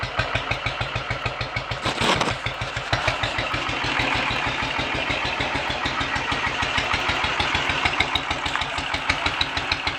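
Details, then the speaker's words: Royal Enfield 500 ASBO 36 after top-end rebuild, warm after about 10 minutes' running, ignition timing backed off slightly (was over-advanced) and throttle stop and mixture screws adjusted: kickstarted without throttle, catches at once and settles into slow, even tickover with no misses; healthy. "when they're warmed up like this one is without touching the throttle if you can just kick it and go straight into a stick over you know that the settings are good"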